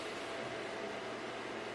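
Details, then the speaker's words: Packard Bell iMedia S3720 desktop tower after booting into Windows: constant loud airy roar with steady hum, no slowing down; the case fan is stuck running at full speed while everything else seems normal. "does it really have to be this loud is this how is this how loud it is a lot I think everything is going at a normal speed apart from that reader case fan"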